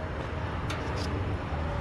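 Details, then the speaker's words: HVAC package unit at a store, blower motor missing its electrical cover: low steady hum with rough, uneven undertone and faint tonal whirr; worn blower motor bearings, motor to be replaced. "What a That blower motor sounds like dog [ __ ]"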